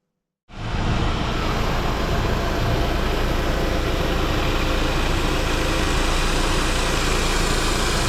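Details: Saab 9-5 Aero, after a new alternator and the correct new belt, and after an oil leak was fixed with a new crank seal, oil pump O-ring and harmonic balancer: a steady, even idle hum with no knocks, ticks or squeal; now quiet, as intended.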